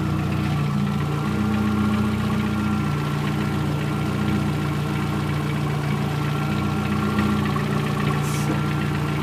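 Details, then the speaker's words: VW Gol 1.0 8v, 120k on odometer, mineral 20W50 oil, possibly overheated before; fully warm idle (~10 min, fan not yet on) has irregular light clack knocking, silent when cold, vanishing with throttle; owner suspects piston pin/skirt. "Parece tem algo solto dentro, sambando dentro do motor. Provavelmente chuto eu aí que é pino de pistão aí que tá batendo."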